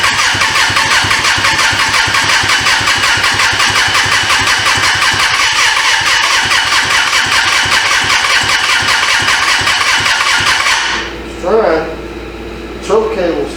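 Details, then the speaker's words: 1996 Suzuki GSF600 Bandit that sat 14 years, carbs cleaned, gas-bottle fuel, choke stuck off, battery weakening: fast, even starter churning for about ten seconds that never fires, then stops. Owner suspects no compression; cranks but won't start. "don't cable get stuck man she spins over fast too like is no compression"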